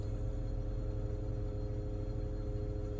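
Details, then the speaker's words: 2002 BMW 325i: with the AC on, a low steady rumble and droning hum seems to come from inside the dash, gone when the AC is off, not the power steering; owner wonders about compressor oil; abnormal AC noise. "this is a bmw 325i 2002 whenever i turn on the ac a noise is coming from somewhere inside the dash"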